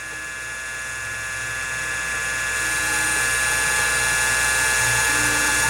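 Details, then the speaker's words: Original CM5616 MFM hard drive (256 cylinders, 6 heads) in a Convergent AWS Turbo 200/266 booting CTOS: steady high whine with rapid ratcheting head-seek clatter about three times a second; sounds unhealthy, but the drive still boots. "we've got the original cm 5616 in here and it's not sounding so good but heck yeah that really doesn't sound good"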